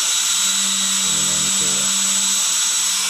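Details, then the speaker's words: Dr. Madthrust electric ducted fan, factory-balanced, set on a table after testing all 10 blade positions: steady high-pitched fan whine with a brief low buzzing rattle from the still out-of-balance rotor, before tape balancing weight is added. "There's still vibration, but it's still the least amount, so that's where we're going to leave it."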